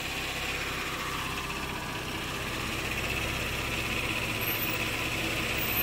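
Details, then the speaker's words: 2013 Chevrolet Camaro RS V6, 96,000 miles, stock, heard at the engine bay at idle with air conditioning on: even hiss and whir from the AC over a steady, healthy idle. "the air conditioner is on right now so I mean that's why for making that sound"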